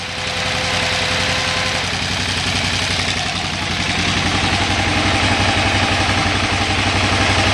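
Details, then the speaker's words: 2008 KTM 990 Adventure that won't idle unless in neutral, with a fuel pressure gauge fitted at about four bar: after the switch is reconnected, even firing pulses return and idle rises and holds steady at about 1450 rpm. "Now, if I plug it back in before it died there, I just plugged it back in. Now you hear the RPM picking back"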